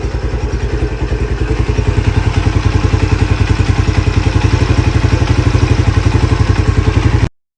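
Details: Lifan CityR 175, 10,800 on the odometer, cold after a cylinder and piston replacement for a knock, carb flooded: even steady thump about three and a half beats a second, no knocking or rattle. Normal idle.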